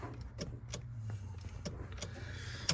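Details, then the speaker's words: Nissan Pathfinder, starter spins but seems not to engage when solenoid jumped; with clutch and brake pressed, key gives sharp uneven single clicks over a faint hum, no crank; owner suspects clutch safety switch or starter. "Clutch and Brake if I click just clicks hear that coming from the really in"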